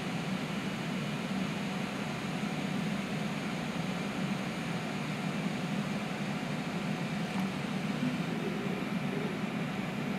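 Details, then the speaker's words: Ender 3 3D printer with SKR 1.3 board in Ikea Lack enclosure: only steady fan hiss and faint travel sounds, no stepper singing in corners; very quiet, working normally. "you can't even hear the thing it's crazy seriously this camera has a good microphone can you hear that at all it is dead silent it's nuts"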